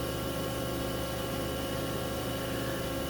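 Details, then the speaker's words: Generic SC600 PC water-cooling pump, about five years in service, on sound-dampening foam, mic held close: steady low hum with a faint constant whine, running normally and quietly. "Try to get the mic on the camera right up near it. You might be able to hear it whining just a little"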